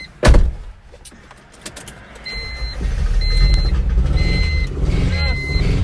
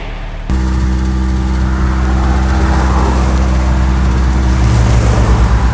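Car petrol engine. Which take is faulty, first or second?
second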